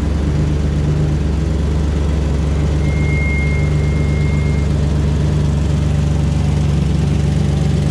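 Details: 2004 Ford Ranger XLT FX4 Level 2 at idle: loud, deep, even drone with a raw open-pipe rumble and no muffled softness; exhaust leak from a rusted-through muffler, before the muffler was replaced.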